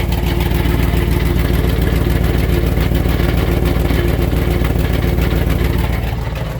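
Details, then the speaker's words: Truck at start-up with an exhaust leak: rough idle with a fast steady tick (three to four per second) over a deep knock under the vehicle; owner suspects the torque converter failing, reused during a transmission rebuild three to four years ago. "I ended up with a knock under the vehicle you fire it up here [Music] so there's an exhaust tick that you can hear there's also"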